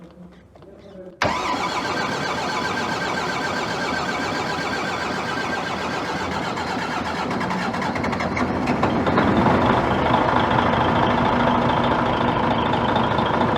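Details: DAF XF95 truck diesel with 1.8 million km, rebuilt after overheating and heavy oil consumption, first start after assembly with fluids filled: quick catch settling into even, steady diesel clatter; normal start and healthy idle.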